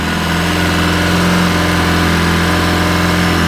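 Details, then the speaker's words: 2010 Polaris Ranger RZR 800 S on first start after engine rebuild with new gaskets and a check engine light on: fast, steady idle well above normal that never drops; idle too high, owner unsure why. "Pretty high idle right now. I'm hoping it quiets down a little bit."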